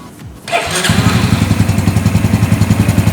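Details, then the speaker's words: Four-stroke engine just after valve clearance adjustment, started and warming 2–3 minutes toward 60 °C working temperature before a compression test: catches after brief crank, settles into even steady thump near 200 beats a minute; normal idle. "Ya, kita nyalakan dengan meng-on-kan."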